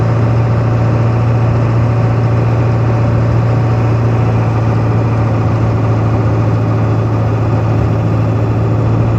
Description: Starts doing it around 1500rpm, very noticeable around 1600rpm, no idea what it is, ive replaced fuel filter, fuel pump, cps, cleaned ebp tube and sensor, cleaned fuel pickup screens in tank, among other things.